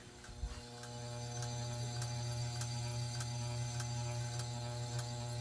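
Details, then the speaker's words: 42-inch Aloha Breeze hugger ceiling fan on low speed: steady motor hum and buzz with bearing noise and a regular scrape about three to four times a second, rubbing against something unidentified. "his fan does have a lot of bearing noise too and it buzzes a lot yeah it does really scrape against something but I don't know what it is"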